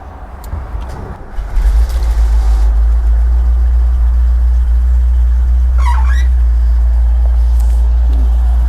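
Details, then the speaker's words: 1954 Chevy 5-window truck, owned since 1980, left outside for 3 years. The V8 was rebuilt around 1982 and has a mild intake; a little gas was squirted in before starting. A short crank, then it fires and holds a strong, steady idle rumble with no knocks or misses, a normal cold start. "That was easier than I thought. Wow. All right, the engine still starts after all these years."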